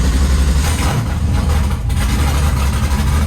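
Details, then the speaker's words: Drift backup car, V8, first start after months in storage: deep steady burble with even lumpy pulse, no knocks or ticks, settling into smooth healthy idle; fired right up. "All right, we got battery. Let's go, baby. Ooh, can hear that moving."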